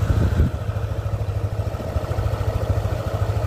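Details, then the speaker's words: Yamaha NMAX v1 scooter engine, fully warmed up after a long run, idles with a steady, even low thump after repair; before repair it had a rough, noisy ticking knock and was consuming coolant. "Okay. So all goods yan. So kanina pa umaandar to."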